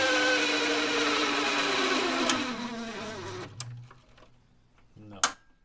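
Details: Hammond M101 organ unplayed for years, tone generator started after oiling: rough buzzing whir with grating edge winding down and stopping; suspected bad bearing, more oil being added, unconfirmed.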